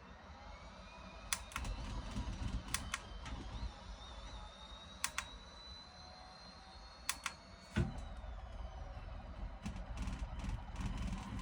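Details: Brand-new-out-of-box Moza R3 bundle direct-drive wheel base: irregular sharp clicking rattle over low hum and faint high whine.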